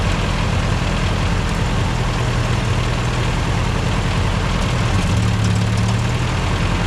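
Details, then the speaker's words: Old tractor, previously dying whenever power was given; it starts and holds a steady, low-rumbling idle with no misfires while the throttle is adjusted: normal idle. "started and then I slowly moved it until it started sounded really nice so now that it's sounded nice idle it"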